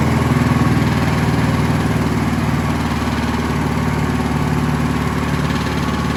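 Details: Scott Bonnar mower, Briggs & Stratton Sprint 375 4-stroke, after swapping in a different spark plug: even, steady idle chug about four pulses a second, no misses; healthy, though reluctant to switch off, suspected throttle cable.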